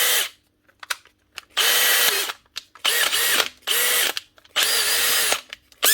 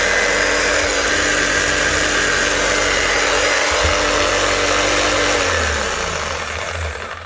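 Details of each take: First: Makita DHP485 cordless drill, a 2020 machine, after fitting a new hex-end chuck (its third chuck): several even bursts of smooth steady motor whine with clean starts and stops, no grinding or rattle; runs healthy. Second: Bosch GBH 5-40 DCE, well used, fitted with new brushes and run with the cover off: steady high whir with a rough crackly edge, then wind-down. Heavy sparking and quick heat show a worn, damaged, overworked armature on its way out.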